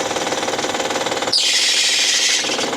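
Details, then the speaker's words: 2012 Honda Pilot 3.5 L V6 at idle, clicking complaint: fast even metallic rattle persists when serpentine belt tensioner is loosened and belt squeals, so the noise is internal rather than belt drive. "There's our belt slip. The noise is still there. The frequency remains."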